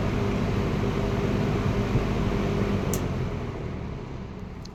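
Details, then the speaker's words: Late-1960s McGraw-Edison Eskimo 3-speed all-metal box fan running on high after its roaring startup: loud, even airy roar fading gradually toward the end, no ticking or grinding; healthy. "Now, this thing absolutely has a has an absolutely roaring startup sound on high speed."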